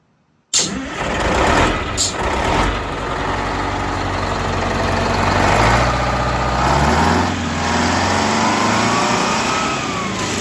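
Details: Detroit Diesel bus engine starting after blower replacement and a full tune-up, with injector timing corrected on the bank that was out of time and idle speed lowered slightly. It cranks quickly and settles into a steady, even idle with no misses or knocks.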